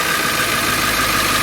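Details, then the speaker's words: Ford E350 van, 7.3L diesel, after fixing short that kept blowing ECM fuse (crank, no start): smooth even diesel clatter with no misses or knocks; engine now starts and idles normally, fuse no longer blowing. "the van is now running okay are you guys convinced so i hope you can hear that so the fuse is no longer blowing"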